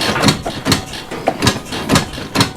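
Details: 1990s Suzuki Quadrunner carbureted single, bought as a non-runner with fuel getting into the oil, on first test fire in neutral: uneven coughing bursts about twice a second instead of a steady beat, barely running; owner wonders if the choke is stuck, cause unconfirmed.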